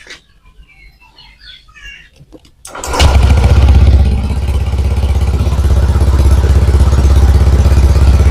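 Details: Honda Vario 125 scooter that had lost ignition, with a burst ECU found. After checking ignition wiring and current, it fires up and settles into a steady, even idle at about three beats a second; running normally.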